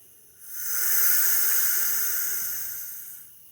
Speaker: And the hissing and dripping you can hear is I'm just draining the tank, making sure all the moisture is out. So that'll be running like that for a while.